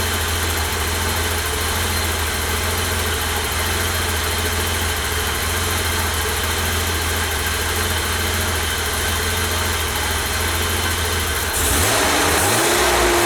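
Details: 1988 BMW E32 735iL, M30 B35 inline-six, first start after engine rebuild, fuel pump primed: smooth, even idle with steady low hum, no ticking or misses, brief clean rev; healthy.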